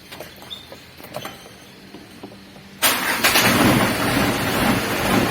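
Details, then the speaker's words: Freshly assembled Ragasa 120PS diesel, valve clearance set to 0.40, radiator filled, fuel bled, first start: catches at once and settles into a full, steady clatter with no misses or knocks. "Mesinnya sudah hidup ya."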